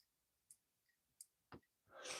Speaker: Oh, nice. No noise. No more grit. All I hear now I just hear the pivot and the spring with the detent.